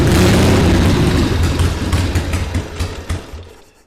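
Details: 1979 Harley-Davidson Ironhead Sportster XL1000, first start in 25+ years, with more choke and the idle turned up slightly. It fires with a loud bang, stumbles through uneven, fading pulses and dies within seconds. Suspected flooding, not confirmed.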